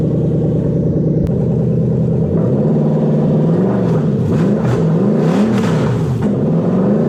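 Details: A 1UZ-FE VVTi V8 running on a 2UZ ECU idles steadily with a deep, even note, then the revs gently rise and fall. It runs normally after a popped-off main power terminal was refitted, with a throttle-body hum audible.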